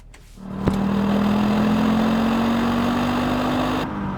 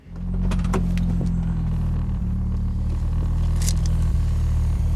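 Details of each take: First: Audi Quattro after fuel pump replacement and new 300 PSI fuel hose, no leaks seen: catches quickly and settles into a smooth, steady idle hum with no stumble or misfire; normal idle. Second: Audi Quattro that just had a new fuel pump fitted, restarted after flooding and cleared by holding the throttle wide open: it catches almost at once, then holds a low, slightly lumpy rumble with faint stumbles. Flooded engine clearing.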